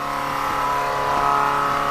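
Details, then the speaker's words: Chevrolet C/10 truck running normally after the main fuel line was refitted and pressed in, following repeated breakdowns. The engine note is smooth and steady with no misses, the sound is clearly different from before, and no leaks are seen. "That is so much different. I don't see any leaks either."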